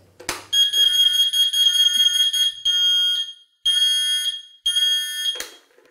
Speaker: beeps are telling us something right after that it's easy to miss but it's also easy to fix that's telling us that the device is still in manual freewheel mode it's not in drive mode